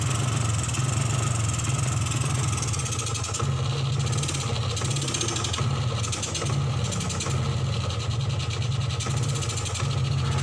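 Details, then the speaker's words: 2003 Suzuki Smash 110 stumbles and bogs in repeated dips when throttled, like running out of fuel but drier; charging measures only 5.2 V instead of 12.5–14 V, starving the CDI, causing the misfire. "Ini nggak mau digas, mirip sekali seperti kehabisan bensin. Tapi bukan ya, ini karena faktor dari suplai pengisian yang kurang."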